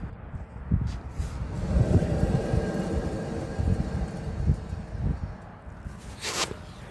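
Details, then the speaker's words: 2020 Ford F250 with the front driver's side jacked up and the wheel spun by hand; low, rough rumble with uneven thumps from a worn front hub bearing, felt rhythmically while driving at 10–20 mph; passenger side quiet. "So, I jacked up the passenger side, spun the tire, didn't make any noise besides like a little brake noise. But then the driver's side, I don't know if you can hear it."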